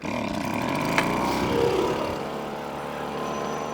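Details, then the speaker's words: Winterized two-stroke machine on premix, started on choke after plenty of primer pumps: fired within three pulls, then settles into an even, rapid buzzing run without stumbling or surging; a healthy clean start. "Now that was 3 pulls. I could have got it fired on the second pull. It did actually fire. That's a 2-stroke."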